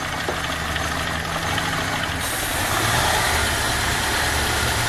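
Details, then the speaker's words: Renault Megane 1 2.0, oil-fouled plugs and oil burning: idle settles after a throttle blip but stays uneven and lumpy with occasional stumbles; mechanic says someone tampered with the idle air adjustment; owner reports idle fluctuation and number 2 plug not firing. "Oynamışlar ki bunlar. Hava ayarı yapmışlar. Hava ayarını oradan vermişler."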